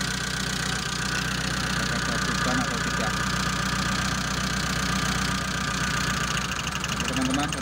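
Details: Mitsubishi Colt T120 SS fuel-injected engine at idle: stumbles with an uneven, lumpy beat instead of a steady hum; cylinder 4 is dead, with no change when its wire was pulled, traced to a failed spark plug.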